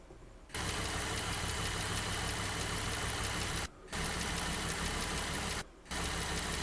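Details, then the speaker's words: Jeep JK Wrangler Unlimited Rubicon, Pentastar V6, over 228,000 miles, after Liqui Moly hydraulic lifter additive: steady idle with a faint, quick ticking tied to engine speed; lifter tick only slightly reduced, engine somewhat quieter overall. "To me, the Liqui Moly lifter additive did quiet the engine noise overall and the lifter ticking did decrease slightly."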